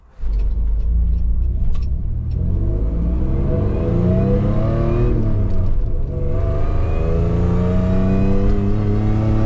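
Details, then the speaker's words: 1995 Toyota 4Runner (second gen) on a road test, heard from the cabin, after repairing the exhaust leak from a cracked crossover pipe. Smooth engine note rising and falling with throttle, with no ticking or puffing; the exhaust is sealed and the cabin is now quiet. "Oh, it's nice in here now. I can uh I feel like I'm talking really loud. I can finally hear myself think."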